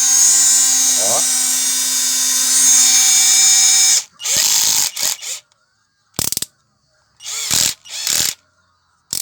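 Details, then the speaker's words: Hummer PLI12 cordless drill (battery 11.5 V) after repair of clutch cycling, strange noise and no reverse: steady high motor whine holding under load, then clean bursts; forward and reverse now work normally. "Tá segurando bem a a tração, né? Bem bacana."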